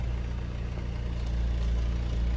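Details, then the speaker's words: Pontiac with 146,000 miles after the failed original starter was replaced: starts and settles into a steady, even low rumble with no knocks, stumbles or surging; normal idle. "it's finally up and running again. That's what I'm talking about."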